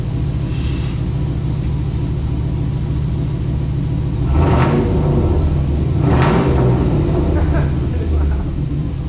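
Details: 2000 Chevy K2500 flatbed, 350 small-block V8, after new no-weld stainless exhaust and muffler: deep, fairly loud rumble at idle with two clean revs; a little loud, no leaks, no check engine light.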